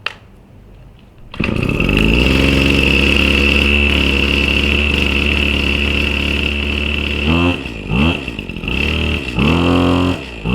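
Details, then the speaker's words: New Husqvarna 525 RX trimmer, primed and started from cold on choke, then choke pushed down: it catches on the first pull and settles into a steady, high two-stroke idle with brief throttle dips. Normal cold start and warm-up. "And then you just let it warm up, and that's pretty much it. So very simple. I'm very impressed with how fast it started."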